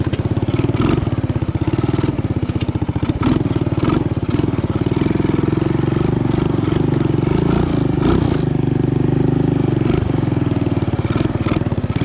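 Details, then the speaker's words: Honda ATC 200ES single-cylinder, long unrun, just fitted Chinese carburetor: steady fast even idle noticeably above normal; idle speed set too high, needs dialing back and air-fuel adjustment. "And this, I just have the dial the idle back a little bit, and I might adjust the air fuel ratio just to get that carb dialed in a little bit better."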